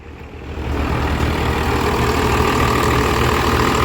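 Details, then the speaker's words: Diesel truck with MBRP exhaust, started after sitting: catches and settles into deep steady rumble with even beat; healthy idle. "but she does run [Music] sounds good that mbrp is nice"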